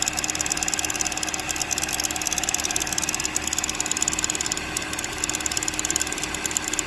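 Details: 2007 Chevrolet Cobalt 2.2 Ecotec at idle: light, fast metallic chatter of about three ticks a second over the idle; timing chain rattle, with a broken chain guide and a bad tensioner or chain suspected.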